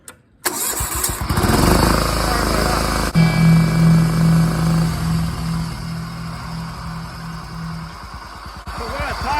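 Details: John Deere 175 Hydro lawn tractor, previously a no-crank and stuttering start, after a starter relay was installed. It cranks briefly, catches and settles into an even, steady beat with no stumbling: a clean, healthy start.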